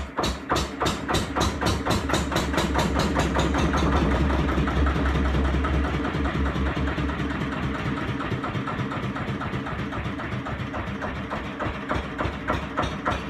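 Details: 1936 Lister CS 5/1 single-cylinder diesel, engine number 15699, rated 600 rpm, running briefly after a rebuild. Slow, even thumping beat, steady with no knocks or misses; normal running.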